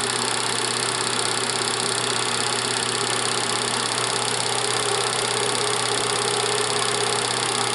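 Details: Bell & Howell Autoload 8mm film projector in Super 8 mode, normal speed, running forward with lamp on: even steady whir, low hum and fast shutter flutter, no knocks or grinding; running normally.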